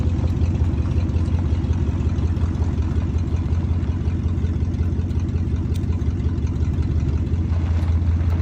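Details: 1992 Ford F-150 XLT idling after the throttle position sensor (TPS) was replaced to fix hard or no-start issues: a steady, smooth low rumble at even idle with no stumbling, misses or surging.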